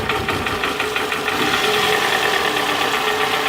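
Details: 2007 Toyota Camry with a flashing check engine light, coil-pull test after the coil swap; a rough, lumpy idle with a stumbling beat and sagging revs; the misfire followed the coil, confirming a failed ignition coil, not the plug or injector.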